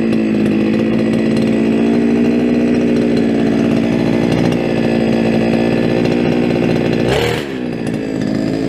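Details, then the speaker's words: Brushcutter's first start of the year, unused since last summer and on old fuel. A steady high two-stroke buzz at even revs, one brief blip near the end; runs cleanly and is ready for work. "Úgyhogy, na, ezek a gépek üzemkészek. Lehet velük dolgozni, még egyszer ezt is beindítom."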